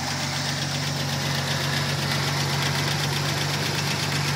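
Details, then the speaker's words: 1992 Chevy S10 at idle: light, quick ticking about four per second over an even idle, rockers slightly out of adjustment, not yet touched; heat shield rattle also present; otherwise runs good. "it could use the Rockers adjusted just just a little bit I haven't touched them yet but they're just a little bit out it's a good running truck though"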